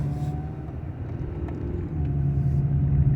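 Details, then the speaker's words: 1995 Honda Accord with about 339,000 miles, driving uphill under throttle: steady low engine rumble building smoothly with no growl; the weird noise appears only off load going downhill. "no growling noise and everything sounds great"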